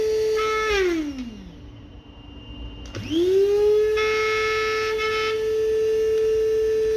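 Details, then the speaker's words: Kiwi coffee and spice grinder after cleaning rusted motor bearings near the blades with WD-40: clean steady hum winds down then spins back up to the same even pitch, no grinding; motor runs fine. "gayet güzel çalışıyor arkadaşıma hayırlı olsun"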